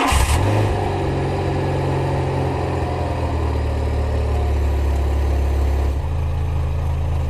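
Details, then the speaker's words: Car that failed inspection for exhaust, after exhaust refitted and tightened: engine starts and settles into a deep steady idle with no tapping on the heat shield and no exhaust leak; sounds healthy. "on n'a pas de ça ne tape pas sur le bouclier thermique donc on peut dire qu'on est bien et on a pas de fuite"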